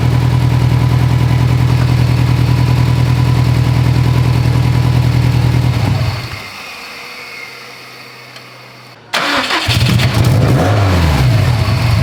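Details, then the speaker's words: Built Subaru STI idling after the wiring harness was tied back off the up-pipe: uneven, stumbling exhaust beat, then shut off and restart; misfiring again. Owner suspects a poor contact at the engine-to-chassis main harness connector. "this [ __ ] car got it all done tied that harness back misfiring again"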